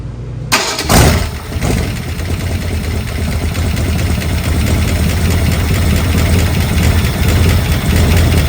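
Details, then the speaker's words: Yard-sourced V8 for 1964 Galaxie, first run on homemade engine stand: catches after brief crank, settles into heavy low rumble at high cold idle; choke found wide open, owner suspects vacuum-operated choke stuck open. "The choke is wide open. Why is the choke wide open? I think this choke works off vacuum."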